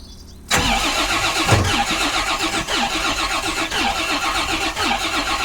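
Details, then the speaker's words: 1986 Rolls-Royce Silver Spirit II V8, parked since 2022, fuel pump running: starter cranks steadily about four beats a second without catching, long crank no start, like cold-starting; eventually runs, bad fuel still in it. "She wants to go. Come on. She will go. We did drive it yesterday. I refuse to start it off the old start, you bastard. Come on. It's like trying to cold start a yank tank."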